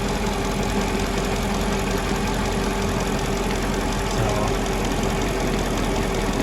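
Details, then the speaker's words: 2002 Mercedes-Benz CLK430 AMG V8 idling evenly with a faint steady hiss over the rumble, traced to a badly dry-rotted hose; vacuum leak. "I think I found what was leaking from that was making the hissing sound. It's right here. It is really, really dry rotted. So that's a vacuum leak."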